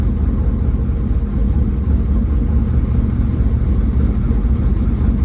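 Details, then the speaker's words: Chevrolet Camaro IROC-Z with a 383 V8 (forged bottom end, aluminum heads, 10.8 compression, ~250° cam) on Edelbrock Pro-Flo 4 EFI, just after cold start at 45° coolant: even, steady low rumble with no misses or knocks at raised warm-up idle; normal cold fast idle. "And just like that, it's fired up. Sets up, brings up the idle like it should."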